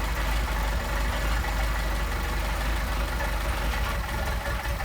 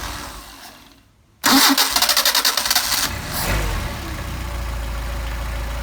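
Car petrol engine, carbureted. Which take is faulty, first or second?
first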